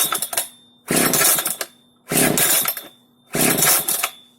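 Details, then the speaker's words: Italian FK136 chainsaw, ignition on and choke out; four rope pulls about a second apart, each a brief rasp with no firing; won't start despite good compression, air filter missing; no start from fuel starvation. "Как видите, бензопила не заводится, компрессия у нее хорошая, значит идем дальше, делаем дальнейшую диагностику."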